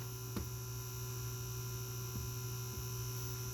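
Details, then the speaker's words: PS4 disc drive with the cover off after a reset and power button repair; it took the disc but won't eject. Steady low electrical buzz with a faint higher whine and a few clicks: buzzing noise, cause unknown. "It's making this buzzing noise, so I don't know what that is."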